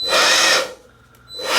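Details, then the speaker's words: DeWALT cordless leaf blower cutting out after a few seconds at any speed: whine runs about half a second, dies away, then spins back up; looks like an overcurrent shutdown. "I got this cordless DeWALT blower in that apparently is not working, so it was brought to me by one of the locals here, asked me to check it out. It shuts down after only a few seconds"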